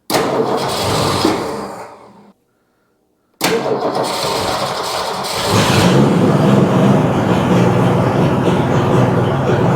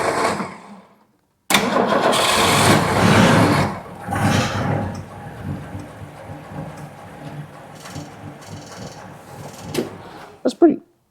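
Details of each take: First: 1962 Ford Fairlane 500 with three-on-the-tree manual, started after sitting years, engine fairly cold: cranks, catches and settles into a smooth, even idle with no knocks or misses; idle could be turned up a little; normal idle. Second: Cold start of a 60-year-old 1962 Ford Fairlane 500 with three-on-the-tree manual, choked, no gas pumped; cranks, catches and settles into a slow, uneven idle that might stall; idle speed set too low and needs turning up.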